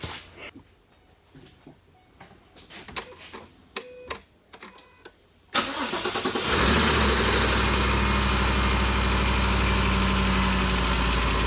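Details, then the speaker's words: 2013 Ford Expedition after valvetrain repair for loud ticking (suspected cam phaser or timing chain), valve covers still loose: some handling clatter, then it starts and settles to a smooth, even idle with no ticking; noise gone, fixed. "the noise is all gone if you remember before we could hear this thing picking real loud uh it sounds real good so i think we got it fixed"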